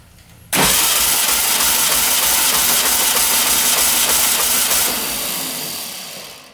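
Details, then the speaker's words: 1967 Volkswagen dune buggy flat-four cranking with compression tester on cylinder 2, held longer: steady even pulses; 160 PSI, good compression. "Huh. 160, I held that one a little bit longer. So that's really good."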